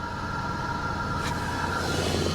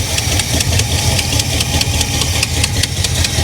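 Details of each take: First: 1985 Chevy El Camino V8 first start after sitting a long time on a battery tender: uneven, lumpy idle with shaky low rumble, engine visibly bouncing; cause unknown; rough running. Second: 1985 Chevy El Camino V8, wrecked salvage car, after fixing a fuel leak with shortened hose and new clamp: deep, even idle with steady lumpy exhaust beat, no knocks or misses; sounds healthy.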